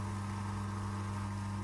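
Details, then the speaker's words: Electric air compressor ran normally, then a bang and now the motor runs freely with a quiet, even hum and no piston thumping; pressure stays at zero, so the pump is not compressing and will be disassembled. "включил компрессор он сначала работал нормально потом хлопок и он начал работать холостую как видите работает звук тихий"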